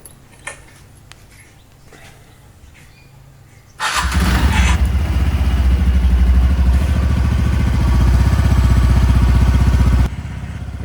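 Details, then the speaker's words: TVS Ntorq scooter after repair of a recurring engine noise: catches at four seconds and settles into an even low idle putter with no knocks or rattles; the noise is gone. "ඒ වගේම තමයි දැන් බයිසිකලේ කිසිම සද්දයක් බද්දයක් නැහැ."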